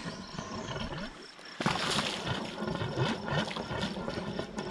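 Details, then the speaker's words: Refilled sprinkler line fed by a newly replaced jet pump, after replacing a head: irregular gurgling, spitting water and hiss bursts as air purges; no leak found. "a lot of air okay no leak all right"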